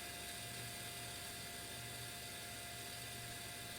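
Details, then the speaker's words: Digital picture frame causing a house hum, power supply fan: steady hiss-like rush over low hum with a faint rough rumble under the fan whirr, worn fan bearing growling. "I'll Jam this in the power supply so yeah you can hear the bearing for sure"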